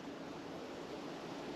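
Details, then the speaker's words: 2011 Hyundai Elantra with snapped timing belt, cam-out leak-down test, engine off, listening at exhaust: steady airy hiss and puff of air escaping out the exhaust, indicating bent exhaust valve on cylinder number one from piston-to-valve contact. "you ready so we have bent exhaust valves at least on number one let me bring you down here real quick and show you so let's go ahead here's the exhaust going to stick my hand over it you hear it puff"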